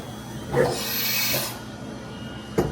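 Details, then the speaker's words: Old Fadal CNC mill, sat unused for years, first tool change (M6 T2): sharp clunk and air hiss, then another hard knock as the spindle goes way too low into the tool changer; emergency stopped. "Okay, I had to emergency stop that. That went way too low into the tool changer."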